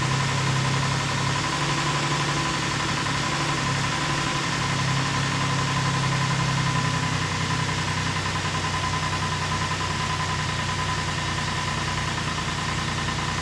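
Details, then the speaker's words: 2008 Ford Explorer 4.0 SOHC, first start after timing chain replacement and engine reinstall (sludge found, earlier no oil pressure): low uneven idle beat drifting up and down; hunting idle, owner suspects a vacuum leak, sounds better than before. "[Applause] [Music] yeah we got a vacuum leak or something somewhere i'll find it but it sounds a lot better than it did"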